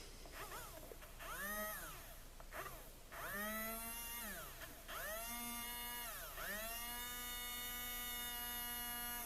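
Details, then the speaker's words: HiT Toys TrackMaster Percy toy train motor, thrift-store find, not seized, powered directly from a battery pack before cleaning and regreasing: thin whine rises and falls, cutting out and restarting before running steadily; cause not confirmed. "So it is working, but it's I put power to it, and it's kind of hesitating, and kind of starts going and kind of stops."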